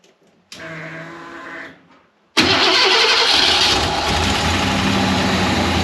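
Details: Ford 302 V8 in an Econoline van that sat several years: first start after replacing the bent #5 intake pushrod. It cranks briefly, catches at once and settles into a steady, even idle on all eight cylinders. The computer is in open loop and not yet learned.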